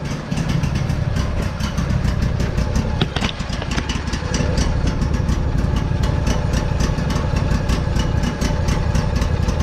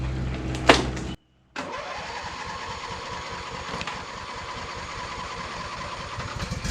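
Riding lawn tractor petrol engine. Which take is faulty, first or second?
second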